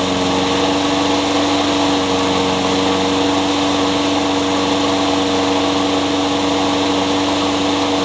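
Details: Craftsman mower with a Honda engine (owner thinks GCV160), with a new carburetor fitted to cure surging, now also with a new blade replacing an out-of-balance one that made it bounce: a steady, even drone with no bouncing or surging. Normal running.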